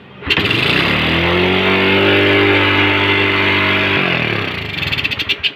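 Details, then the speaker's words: Freshly overhauled Suzuki Rider J110 motorcycle, first start with exhaust fitted: catches quickly and settles into a steady, fast, high-pitched idle that stays high; idle speed set too high, then adjusted down. "taas pa rin ng menor natin. Adjust muna tayo."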